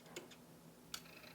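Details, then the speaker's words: Yamaha KX-W262 cassette deck, deck B: two faint plastic clicks as the mechanism moves but play won't engage; something seems stuck so the white gear doesn't catch; it rewinds and fast-forwards but won't play. "now let's let's hit play here you know what things are happening things are moving but like it sounds like"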